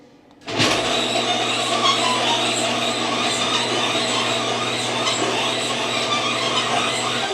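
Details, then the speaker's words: Garage door opening at 15 degrees outside after Green Hinge System hinges were installed (matching rollers didn't fit); loud constant motor drone with harsh rattling hiss throughout travel, cause not pinned down. Noisy garage door operation. "Pretty loud, isn't it? I'm not going to open it all the way. I'm going back down."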